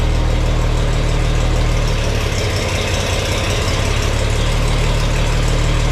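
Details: Farmall 460 tractor, rebuilt engine, after installing electronic ignition and rotating the distributor to set timing: steady low, even idle with a firm regular beat, no misses or stumbles; runs nicely, slightly less responsive when throttle is cracked.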